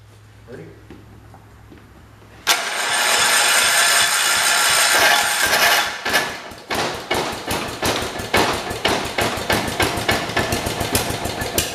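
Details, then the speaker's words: Kohler engine swapped into a 1968 tractor, run outside the tractor on a 12 V battery with fuel dribbled in, choke fell closed: cranks, catches, then runs lumpy with loping beats; over-choked. "okay it's running like it's choked yes it is one choke"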